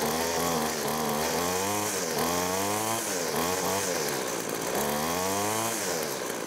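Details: Two-stroke weed trimmer/edger after replacing deteriorated fuel lines (supply and return), carb primed, pull-started. A high, buzzy note blips up and down with the throttle and catches cleanly each time. Runs properly.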